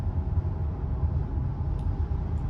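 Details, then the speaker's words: 2019 Subaru WRX STI at 16,654 miles, driving above 60 mph on highway: steady low buzzing drone under road noise, pitch changing with speed, apparently from the rear; wheel bearing drone, rear bearing later replaced. "it's most likely a wheel bearing and I think it's coming from the back of the car and you can hear it change its pitch when my speed increases"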